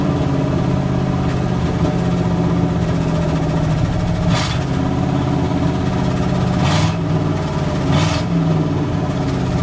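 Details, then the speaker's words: 1984 GMC V8 truck just revived, with 60 psi oil pressure: deep steady rumble with a few throttle blips settling back smoothly, no knocks, the gauge settled down; normal idle. "I'll hear no knocks yeah the whole meter settled down"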